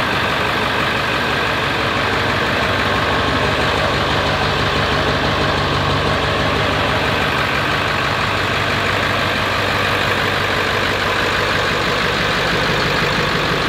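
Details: Ford 7.3L diesel fired up after a roughly $100 three-part upgrade (CBD fittings work) and leak check: steady, even diesel clatter holding one speed with no misses or knocks; healthy idle.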